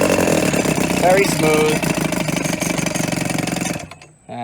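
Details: 1990 Evinrude 3.5hp two-stroke outboard, tuned up after having no spark, low on fuel: quick, fairly even buzz with no misfires, then cuts out near the end; running smoothly.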